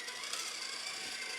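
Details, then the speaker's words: Redcat Ascent18 Scout II 1/18 RC truck with added option parts, driving: a thin, steady, high-pitched blender-like whir from the gearset, almost too loud to drive. Greasing the transmission did not fix it. Loud transmission gear whine. "that thing is like a blender uh it's almost too loud to drive but I'm gonna keep driving"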